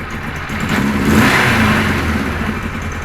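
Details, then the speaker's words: Kawasaki KZ1000 police bike, cold, choke off: uneven, lumpy idle with a buzzing vibration noise from the left side; owner says it improves little when warm; compression 145–160, charging and ignition wiring checked; rough idle, cause not found. "it'll get a little better when it warms up and not much part of that noise to the left vibrating"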